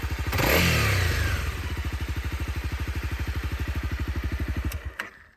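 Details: Honda CRF250L single, clatter appearing when the throttle closes: a throttle blip, then a light, fast rattle rides on the thumping as revs drop; slack cam chain, suspected fix is replacing the cam chain tensioner lifter.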